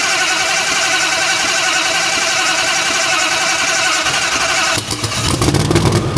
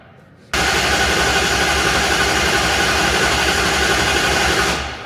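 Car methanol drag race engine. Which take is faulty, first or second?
first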